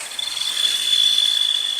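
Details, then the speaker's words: Car whose wiring had been "repaired" elsewhere: steady high-pitched fan-like whistle over a hiss, 17 fault codes logging shorts or open circuits; cause was a missing 25 A fuse, fitting it cured the noise and cleared all codes. "Evet, bu ses için bir tane 25 amper sigorta. Baktığımız gibi arıza gitti."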